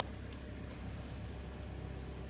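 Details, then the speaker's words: Kia Sportage 2013, G4KD 2.0 petrol, AWD automatic, 116,000 km, after cylinder sleeving and full engine rebuild for scored cylinders and piston knock; warming to operating temperature, runs smoothly and quietly with steady low hum, no knocking. "машина работает ровно машина работает тихо пробег 116 по одометр сейчас греем до рабочей температуры прогреваем всё это дело смотрим чтобы нигде ничего не капало не бежало"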